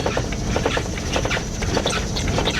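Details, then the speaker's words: 1999 Dodge Ram abandoned six years, driving under 10 mph on a tire blown on the highway, temperature gauge creeping up, no spare. Loose, uneven slapping thumps over a low engine rumble: blown tire flapping. "yeah i blew a tire on the highway"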